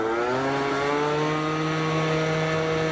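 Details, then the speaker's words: Yamaha BWS 50 bored to 70cc with a Stage6 kit, on a test ride after the plug was checked and the rollers adjusted. A clean, steady two-stroke buzz at quarter to half throttle, pulling strong in the power band without over-revving; running normally. "There we go. That does not sound bad now. That's kind of good."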